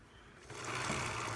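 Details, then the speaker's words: Hawk 250 dual-sport, rear wheel hand-spun after cleaning chain and realigning the chain guide: soft even whirr, no grinding; non-O-ring chain worn out at 500 miles, tight and likely stretched. "now it's clean and smooth but this chain was tight now look plus pretty sure it's stretched"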